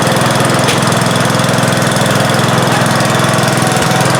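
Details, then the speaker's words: 1971 John Deere 140H3, Kohler K321 single-cylinder, after carburetor rebuild and new float fixed fuel pouring from carb: fast, even chug at steady speed, no skips or knocking; normal running. "Yep, happy sound, wasn't it? Wow. Oh man, that's really it started right up."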